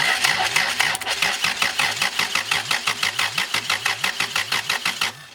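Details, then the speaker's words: Honda B20B engine, first start attempt, cranking to circulate oil without priming: steady starter cranking about three beats a second with a wet, toilet-like gurgling under each beat and no firing; source of the gurgle unclear. "Why does it sound like a toilet gurgling? I don't know."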